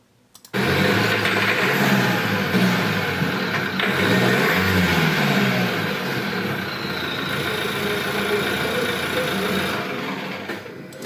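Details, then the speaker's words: Dacia 1.5 dCi diesel van mistakenly fuelled with petrol, Lambda probe unplugged: starts and runs rough with loud uneven rod-knock-like knocking, little power and some smoke. "bon, tu as entendu ce bruit, ce bruit est caractéristique du cognement de bielle, et il y a deux de ces choses qui peuvent le provoquer, un, un injecteur qui est ouvert, injecte continuellement et produit ce cognement des bielles"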